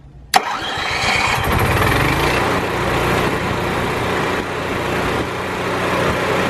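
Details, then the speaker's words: Onan Microquiet 4000 RV generator started right after an oil and air filter change, run together with the RV air conditioner: sharp start catch, then steady even drone with AC humming. Normal running. "you can hear both the AC and the generator it's important to run your AC as well same as your generator it's good to exercise it"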